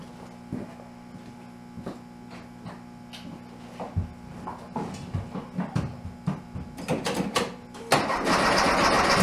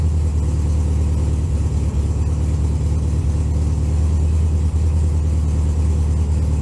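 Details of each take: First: Big-bore 2387cc engine in a 1967 VW Bug in cold weather (about 15°F), weak spark: long cranking with scattered pops before it catches roughly. It is hard to start; needs tuning, and plugs and ignition will be checked. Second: 1964 VW Beetle cold start at about 15°F in snow, steady low even throbbing idle with no knocks or rattles; normal healthy cold idle.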